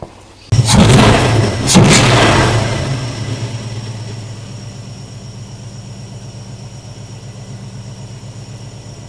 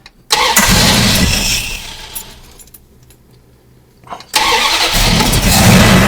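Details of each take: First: 1974 Plymouth Duster after carburetor work: cranks and catches, revs briefly, then settles to a steady, even idle with no misses. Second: 1974 Plymouth Duster with a carburetted V8, bogs on throttle and idles a little rough; it fires up, sags and nearly dies, then picks up unevenly; rough idle, cause not yet found.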